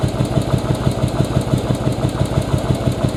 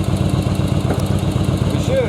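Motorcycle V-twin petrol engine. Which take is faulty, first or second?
first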